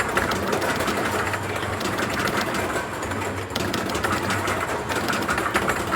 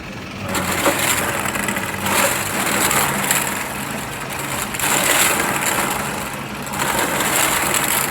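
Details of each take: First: Quick Drop arcade game after cleaning, quick PM, new turntable motor, new balls and the motor reconnected: steady, even light clatter of the turntable drive with no catches or surges; turntable motor running normally. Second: Quick Drop arcade game with a stopped turntable and one bucket full of red balls: continuous rough grinding swelling about every two seconds; owner believes it is the empty ball trough turning with no balls to feed it.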